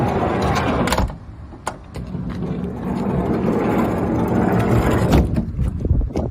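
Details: Toyota HiAce 100-series manual sliding door gives a loose, uneven clatter and clunks in bursts as the door moves, a rattle suspected from worn door hardware (unconfirmed), heard over traffic.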